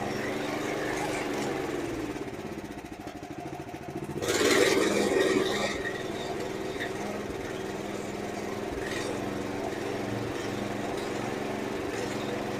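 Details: Honda GX390 on a 2005 Chuck Wagon 4x4 UTV after valve lapping, head gasket and main jet replacement: single idles unevenly, lurching and stumbling; rough idle unchanged by idle screw, owner suspects misfire.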